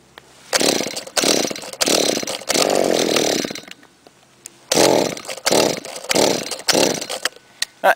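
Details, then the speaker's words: Trimmer unstarted for a month and a half, idles poorly, owner thinks it's not getting enough gas despite a clean carburettor, maybe the muffler: about eight rasping pull-cord bursts with gaps and no sustained firing; hard starting, prolonged cranking. "there we go again takes a while to start yeah so here's the problem"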